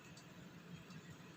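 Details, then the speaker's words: Samsung manual microwave M171N after repairing the cooling fan bushing, retested at about 300 degrees: quiet, steady low hum with no rattling, buzzing or scraping; running normally, noise gone. "ครับไม่มีเสียงแล้วนะครับอ่าปิดไปนะครับทำงานปกติทุกอย่างนะครับ"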